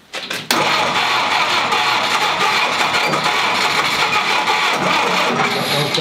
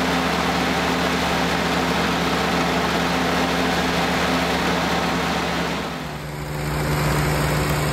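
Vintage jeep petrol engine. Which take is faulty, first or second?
first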